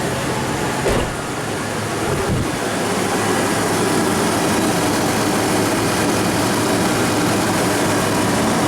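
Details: 2004 Toyota Tacoma V6, 260k miles, P2111 limp-home code with throttle plate stuck open, after air intake cleaning: engine catches and settles into a steady, even idle with no knocks, surging or stumbling over background hiss.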